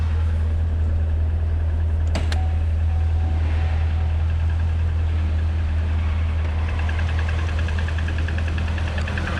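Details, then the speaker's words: Corvette Z51 V8 at idle, heard from outside the car: faint, fairly regular tick at the front of the engine, about two per second; owner suspects the idler/tensioner, AFM lifter failure also possible, not confirmed. "yeah there you go and actually uh like i said it's coming from the front i mean it sounds like it's that tensioner"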